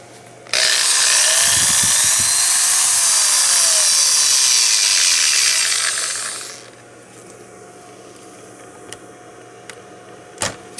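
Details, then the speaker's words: 1000 W power inverter installed in the factory location of a 2014 Ram 3500, switched on by a push button: an old drill plugged into the inverter spins up to a steady high whir for about six seconds, then winds down smoothly; runs fine on inverter power. "And once again, you push button on, turns the inverter on. You can hear it running. Got little lights on it. Let you know it's working."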